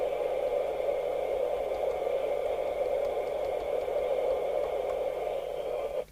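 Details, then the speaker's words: Midland 4001 UK FM CB radio after three receiver capacitors were replaced and a 23-hour soak test on channel 19: steady, even receiver hiss for six seconds, then a clean cut-off; normal receive audio. "And I could hear it chuntering away on 19, swearing as they do. So I'm satisfied this is now working with those 3 capacitors which you changed."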